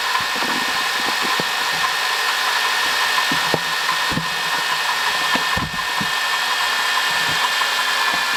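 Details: 2005 Honda Odyssey, 268,167 km, CVT: steady high whine with rough gritty hiss over running engine; worn water pump bearing, noise gone after replacing water pump, thermostat, thermo switch and coolant.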